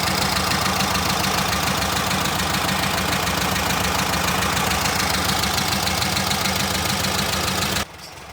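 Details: VW Brasília air-cooled engine just after a fuel pump replacement: lumpy but even idle pulsing steadily for about eight seconds, then shut off. It runs normally with no misses.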